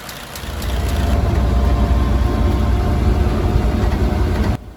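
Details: 1934 Ford Model BB dually truck, 89-year-old flathead V8, idling after an electric priming fuel pump was fitted for hard starting after sitting: deep, even low rumble with a steady beat, no knocks or misses, running sweet.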